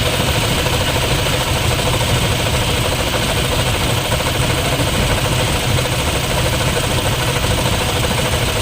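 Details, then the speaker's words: Toyota Fortuner with 2GD diesel at idle: constant rough helicopter-like growl and hum over the clatter from the alternator, its bearing worn, dry of grease and wobbling. "ibig sabihin niyan ung bearing Sira na wala ng Wala na siyang gasa Minsan umaalog na rin umaalog na siya yung yung k sa loob mawawala sa aline naririnig niyo yung tulog na ganyan parang helicopter naririning niyo ba yan"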